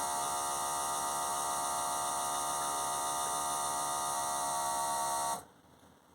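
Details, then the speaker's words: Philips Perfect Draft beer machine dispensing a pour: steady, fairly loud electric hum with faint buzz that cuts off when the pour stops; normal operating noise. "it can be a little bit noisy this machine in terms of the noise you just heard"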